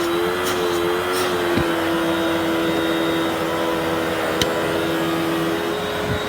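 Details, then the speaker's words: Hoover WindTunnel 3 Rewind Pet Pro upright vacuum, missing its turbo brush and needing cleaning: steady motor whine with a faint uneven flutter; the old drive belt is extremely stretched and needs replacing. "this vacuum number one needed a new belt because the old one was extremely stretched out"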